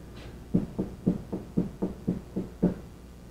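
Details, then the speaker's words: 1998 Nissan Maxima front suspension during wheel bearing and hub replacement, tie rod end knocked out of hub: dull clunks about twice a second as the linkage is rocked by hand, pointing to a worn inner tie rod needing replacement. "look at that ain't that nice ooh time for an inner tire rod in hear"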